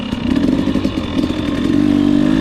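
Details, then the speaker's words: 2020 KTM 250 XC-W TPI two-stroke after swapping the cylinder port sensor with the ambient sensor, which cured the 0–1/4 throttle sputtering: slow start off the line, crisp note rising cleanly, no gargle or stumble, normal low-throttle pull. "do a slow start for you no gargle nothing just pulls off the line"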